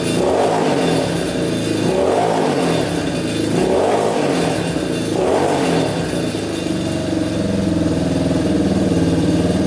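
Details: Yamaha Warrior 350 quad, single cylinder, after carb cleaning and idle adjustment; revs surge then sag and bog every couple of seconds, running rich; exhaust pipe blockage suspected, later ruled out.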